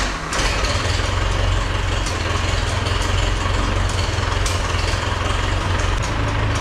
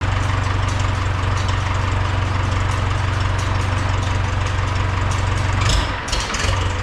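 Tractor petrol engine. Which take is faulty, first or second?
second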